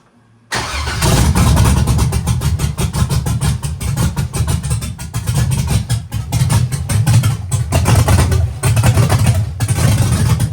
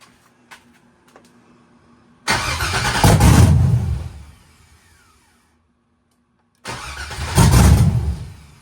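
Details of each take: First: Old Chevy truck with big cam, revived after years abandoned, first start after new tune adding startup timing: engine fires and settles into a loud, choppy, loping idle with deep uneven pulses; normal running. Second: Chevy truck with an LS swap and a big cam, revived after years abandoned in the woods, retuned to add timing to the startup table. Two long bursts of heavy, uneven cranking, each several seconds, before it tries to catch; extended cranking before start.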